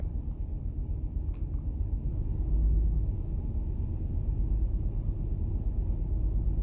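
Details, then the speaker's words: 2008 Toyota Sienna with the 3.5L 2GR-FE V6, dash warning lights on: lumpy, rough idle with an irregular stumble and excessive vibration. Misfire from a failed ignition coil B, cylinder 2 (code P0352). "all right we got some lights lit up on the dash this engine is running rough it is vibrating excessively"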